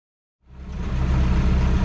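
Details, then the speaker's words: BMC 1.5 diesel in a yacht, started on a borrowed battery before engine removal and oil draining: fires after a short silence and settles into a steady, deep, even idle chug with no knocks; normal warm-up idle. "So as you can hear in the background, I got the engine running."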